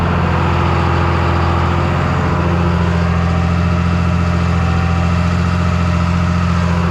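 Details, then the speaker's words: Rolled-over John Deere 8300 tractor after rebuild, test run in the field: deep steady diesel drone under load, even firing with no knocks or misses, all temperatures stayed good. "We're back from our test run. Tractor did a good job. All the temperatures stayed good."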